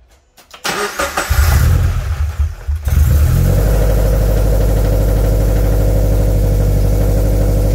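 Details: 2013 Scion FR-S after swapping in a used engine, first start after oil priming with the fuel pump fuse pulled; a short crank, a clean catch, then a smooth even idle with no ticking or knocking: normal start and idle.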